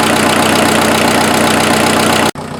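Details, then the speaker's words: Freshened-up diesel in an offroad Mazda truck idling after getting it running: a steady, even firing beat with no knocks or misses, then it shuts off. Much smoother than the previous engine, no smoke; normal diesel idle. "it'll sit here and idle all day though i love it"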